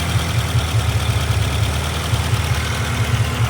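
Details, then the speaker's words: Honda CR-V with a misfire, idling roughly and low after being pulled back from about 1,500 rpm: uneven sputtering and puffing, likely to stall in gear. Owner suspects fuel pressure or a vacuum leak, not yet tested. "but you can definitely hear it sputtering and putting."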